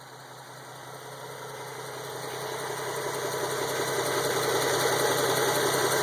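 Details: Idling petrol engine with steady sharp ticking from a small exhaust leak where the gasket of aftermarket high-flow catalytic converters partially disintegrated after a couple of years.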